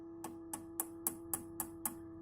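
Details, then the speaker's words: Orange RockerVerb 50 guitar amp: light taps on a tube give short dead clicks over a steady hum with no ringing; this tube is not microphonic. "Alright, so this tube, not microphonic."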